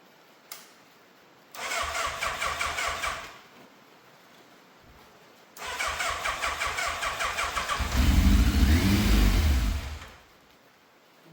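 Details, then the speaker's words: Yamaha FZ750, 41,000 miles, fire-damaged non-runner, start attempt after fuel filter, airbox and carbs refitted: two long cranking bursts, second catches, flares briefly and dies; frayed choke cable not pulling fully then snapped off, carbs leaking fuel, hard starting. "The choke has literally just come off in my hand. I mean, I always knew that cable was a bit frayed, and obviously it wasn't pulling properly all the way, but with that off, very much going to struggle to start this."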